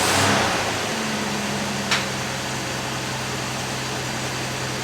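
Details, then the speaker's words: Rover P4 starting up after new gaskets and tuning, microphone left by the engine: it settles into a steady, slightly raised hum that never drops back. Fast idle is still set too high and gets turned down. "Nice. Fast idle was still a bit too high. So, just turn that down."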